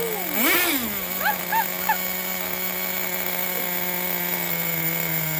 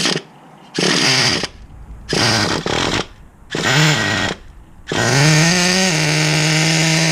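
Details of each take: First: 2006 Traxxas Nitro 4-Tec 3.3 (model 4809), rebuilt TRX 3.3 engine just started and idling, still needing tuning: steady high-pitched buzz after a brief rev, even unbroken note; running well. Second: Rebuilt 2006 Traxxas Nitro 4-Tec with TRX 3.3 engine, first tank after rebuild: short high buzzing bursts that die out when throttled, then it catches and holds a steady rev; engine cuts out on throttle, owner unsure if idle or air-fuel mixture.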